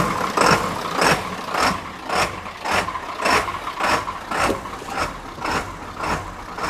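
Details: 1997 Ford F350 7.3 turbo diesel, running again after starter replacement and wiring work: even rhythmic thrum about twice a second over a low rumble; steady, healthy idle. A recurring blown fuse is still unexplained.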